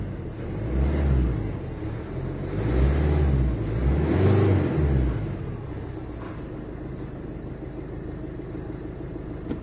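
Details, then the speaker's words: Mini Cooper 1.6 HDi diesel after injector seal replacement: a few throttle blips, then a soft even idle with light clatter, no knocking; normal, fully operational. "voilà bon je monte là on a un geek un bruit parfaitement fonctionnel opérationnel normal il n'était"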